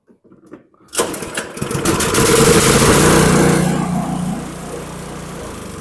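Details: Toro Power Clear 721 QZE single-stage snowblower, nearly new, after carburetor cleaning for year-old stale gas, on fresh 91-octane ethanol-free fuel: primer pushes and pull-start, then steady, even running without misfires; normal running.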